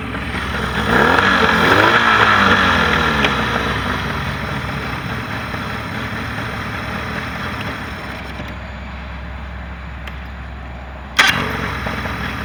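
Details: Mercury 40HP outboard on a Tracker Pro Crappie 175, earlier no-start was user error: revs cleanly, then settles to a smooth, even idle that fades off with no stumble or rattle; running normally.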